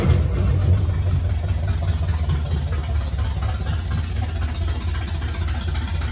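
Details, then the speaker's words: 1969 Pontiac GTO barn find, Pontiac 400 V8 with TH400 and Quick Fuel 750cfm carb, first start after 17 years: deep, slightly lumpy V8 rumble at steady idle, no knocks or ticks; runs pretty good, though oil leaks near the booster. "y'all heard it it runs it actually sounds like it runs pretty good"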